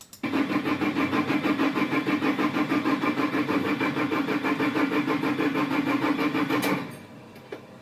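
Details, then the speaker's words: Iveco Daily van: steady starter cranking about three turns a second for nearly seven seconds with no catch. Only the injector warning lit and no dash lights came on. Cause is a faulty ignition switch (contactor). "là tu as le problème, le contacteur, cela peut poser des problèmes, pratiquement, dans la grande majorité des véhicules, la panne vient d'ici"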